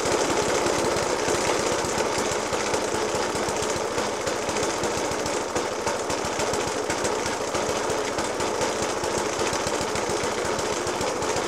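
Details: Suffolk Punch 30S mower (1991 era) with a Dellorto FCH 20 carb thumps unevenly at idle with hard, rapid bangs. This persists after a new spark plug, decoke and carb cleaning; cause unknown.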